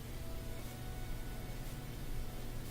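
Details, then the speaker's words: Bosch Axis washing machine in diagnostic test, dual cold water pre-wash fill valve energized: low steady electrical hum with only a faint trickle of water; valve barely opening, suspected faulty and to be replaced. "And you can hear just a tiny bit of water trickling in. So I think that's our problem."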